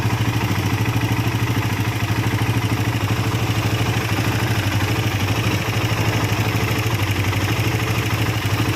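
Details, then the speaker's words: Suzuki Satria FU motorcycle idling rough with a loose metallic clatter, about three knocks per second, from the left block area, worse when hot. Suspected worn timing chain and faulty tensioner converted from automatic to manual; the bike also burns oil through rings and liner. "Satri FU with the condition of the engine sound rough, well, this is for the rough sound part, it is in the block area on the left, it is possible that the temporary analysis comes from the sound of the tensioner chain."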